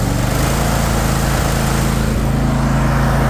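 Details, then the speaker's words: Troy-Bilt Mustang XP 50-inch zero-turn mower, 24 hp Kohler engine, 370 hours, revved back up to high revs: smooth, steady, even drone with no misses, knocks or bad vibrations; normal running. "No bad vibrations or anything it shouldn't have when you idle it down for you. Rev it back up."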